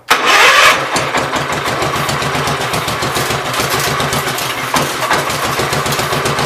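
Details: Gravely 810 revived, started on carb cleaner with carb still needing cleaning: cranks and catches at once, settles into a regular even idle, no heavy knocking or smoking; running healthy.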